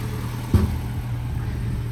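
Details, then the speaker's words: Land Rover Series 3 short-wheelbase 2.25 petrol after valve stem seal replacement and valve overhaul, with a new thermostat fitted: smooth, even low tick-over with one brief bump early on and no tapping or misfire; ticking over nicely and quiet. "so as you can hear ticking over nicely now nice and quiet"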